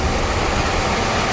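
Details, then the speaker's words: Furnace blower running after blower wheel replacement (original screeching diagnosed as blower wheel), AC on, just before power-down and reassembly: smooth steady rush of air with even hum, no screech or scraping; normal blower operation. "reassemble it so you heard that it's working well now"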